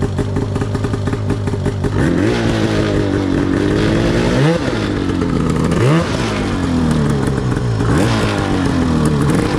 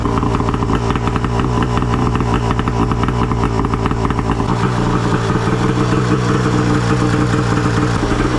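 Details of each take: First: Yamaha YFZ450 custom chassis with swapped Arctic Cat F1000cc two-stroke EFI engine, first test ride after four-year build; rough two-stroke drone with blips, lazy pickup. Sluggish, groggy throttle response; owner plans to fine-tune fuel pressure, cause unconfirmed. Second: Arctic Cat F1000cc two-stroke EFI twin swapped into a Yamaha YFZ450, first start after fuel pressure cut to ~45 psi, coils swapped back, new plugs, flooded cylinders cleared; fired on one pull, crisp even idle, no misses. Normal idle.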